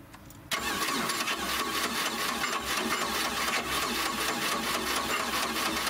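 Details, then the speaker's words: 1986 Four Winns 170 Horizon with 3.0L MerCruiser, first start after winterization, carb primed with a few pumps: starter grinds on steadily with quick uneven beats, almost catching but not running. Fuel pressure possibly not yet built. Extended cranking, slow to start. "I'm gonna give it a few pumps. I can actually hear the carb squirting some gas. I don't know how much is in there, because I may need to crank it to build up some fuel pressure, but we'll see how it goes."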